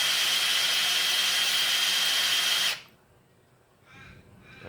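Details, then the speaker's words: Ford Falcon XC GXL's restored 351 V8, oil pump primed with a drill before first start, distributor and plugs out: a steady high-pitched drill whir whose tone changes as oil picks up, then cuts off. Normal priming. "that's picked up on there you can hear the tone of the drill change and every now and then we have to give to drill the rest"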